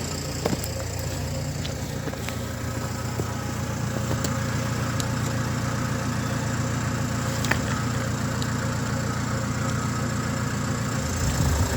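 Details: Renault Trafic 2 phase 2, 2.0 dCi M9R 780 diesel, after replacing a failed PCV valve (fault: lack of power, high fuel use): even idle with a steady low rumble and regular firing, no misses or hunting; engine noise changed, runs much better.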